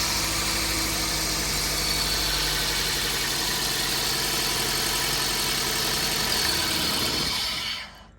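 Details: Toyota Corolla with code P0303, cylinder 3 misfire: engine shaking, fuel smell from exhaust and flashing check engine light; petrol engine idles unevenly with an irregular low stumble.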